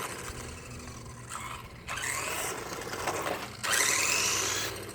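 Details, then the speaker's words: Subotech BG1508 1:12 RC car, brushed motor on a LiPo battery: a rough, scratchy motor buzz in uneven bursts with a rising whine on throttle; the brushes are ruined. "Everything was running, but I can hear it. I can see it. It just, the brushes inside, I ruined them. I totally ruined them."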